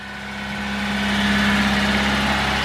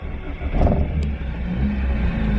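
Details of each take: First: 1987 Honda CRX HF 5-speed, recent timing belt and head gasket, sat about 7 months: smooth, even hum while still cold, no smoke and no knocks or odd noises, a normal idle. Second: 1987 Honda CRX HF 5-speed, sat about 7 months, head gasket and timing belt redone probably under 15,000 miles ago, runs warm in traffic: once warm the idle swells and sags and needs throttle to stay running, cause unconfirmed.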